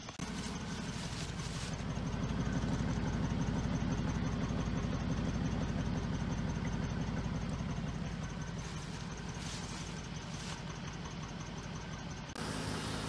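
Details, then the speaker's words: Engine with a blown head gasket from running hot because of a leaking water pump, idling after an attempted fix: lumpy idle, somewhat better than before, but with a regular stumble about three pulses a second, so one cylinder is still misfiring. "all right guys and here we go this uh it's running right now it's running a little bit better right there's still a miss in it"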